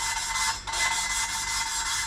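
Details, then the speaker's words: Ford Fiesta ST150 2.0 Duratec rebuild, valve hand-lapped with carborundum paste. A steady gritty rasp with a brief mid-stroke pause turns smoother and finer as the paste breaks down; the seat is ground in. "so when you can hear the carb paste break down and then all of a sudden pick a bit more up that's normally like that that is normally the seat ground in"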